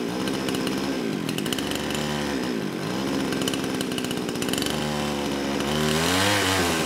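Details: Kraftworld KW-5800 58cc Chinese two-stroke chainsaw, run on straight fuel, low compression, suspected burned-up engine; low-speed jet two turns out, one to three turns made no difference: uneven burble near idle, never clears to full revs; won't rev.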